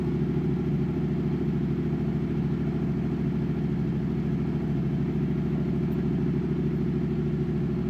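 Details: Yamaha MT-07 turbo build, first start after a full CP2 twin engine rebuild; smoke is only fresh exhaust paint burning off. Steady, even twin-cylinder idle with a smooth low throb and no knocks or misses. Normal idle.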